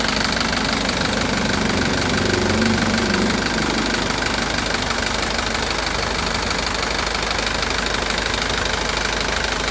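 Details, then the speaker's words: Mitsubishi Canter diesel truck at idle, not yet warmed up: constant airy hiss with a faint rubbing undertone; the speaker is unsure of the source and says it sounds like something rubbing. Hissing, rubbing noise. "Saya mendengar suara mendesis di bagian ini. Aku penasaran suara apa itu. Terdengar seperti ada sesuatu yang bergesekan."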